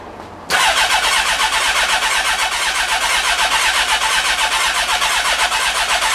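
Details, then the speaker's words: Honda CB1300 after full rebuild, fuel pump heard priming, clutch in: starter churns engine about four turns a second without catching; fuel smelled, so owner suspects no spark, checking plugs next. "No ignition. Off. Okay, I'm going to have a look at spark and see if that's okay."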